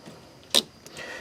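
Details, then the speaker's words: 2002–2010 Ford Explorer blend door actuator, removed, causing clicking behind dash and no heat: two sharp plastic clicks about three-quarters of a second apart as worn, ground-down gear slips teeth; replaced with new actuator. "this little motor spins this bottom of the gear and then it spins the top of the gear which spins this which spins the bottom of the gear and then I'll show you when it comes apart and then that turns this so basically our problem was right here you hear it slipping on there"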